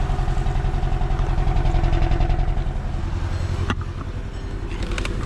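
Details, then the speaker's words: 2010 VW Eos 2.0L, hard to start, black smoke, fuel smell: uneven, lumpy idle with a stumble about twice a second and the check engine light flashing; misfire, likely cylinder three; leaky injector suspected. "should definitely miss firing you can see the check engine light flashing let's see turn off the radio that's what it feels like I'm shaking like a leaf"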